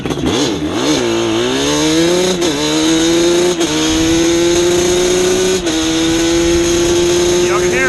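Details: Yamaha Banshee warmed up, held at part (mid-range) throttle for plug chop, hot day: buzz wavers and flutters, can't clear without more throttle; sounds rich on the needle setting, mains fine.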